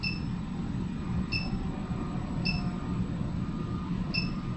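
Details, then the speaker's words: Roof vent fan (Maxxair) in a Grand Design Solitude S-Class 2930RL-R fifth wheel hums with a thin high-pitched whine chirping in about every 1.25 seconds. "there's a high pitch it's not right now hold on it's whining you hear that high-pitched yeah i hear it"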